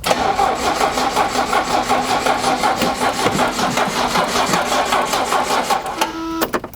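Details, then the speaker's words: 1982 Renault Fuego turbo, left unused in a garage, oil and fluids checked: the starter cranks with an even, steady staccato beat, showing compression, but it never fires. Cranks without starting for lack of fuel. "obviously we know it turns over that's pretty simple to know that but I've gotten experience over the years I listen with my ears it's got a staccato pattern to the starter noise"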